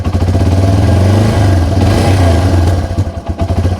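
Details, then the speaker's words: Yamaha TW200 single-cylinder with an intake vacuum leak slowly opened up from idle, choke off: rough thumping, struggling to run, with sharp pops from a lean condition; normal again when the leak is closed. "Oh, did you hear that pop? That's definitely a sign of a lean condition. Hear those pops?"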